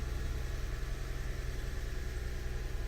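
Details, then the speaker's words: 2006 Lexus GS300 3.0 liter, after engine and harness swap and crank-no-start with P0351–P0356 coil codes, now fixed: quiet, even idle with steady low hum pulsing about three a second, no misses, no trouble codes; hesitation remains when revved. "And it started. It's idling by itself."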